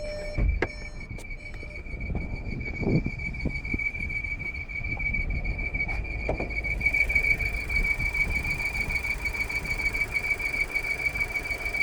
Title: 2019 Volkswagen VW Jetta Squeaking Noise Problem (30 minutes after repair pickup 09/11)